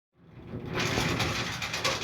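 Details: Whirlpool Duet Sport washer not draining: harsh, rattling grind holding steady while the drain pump runs, a worn pump, fixed by drain cleanout and pump replacement.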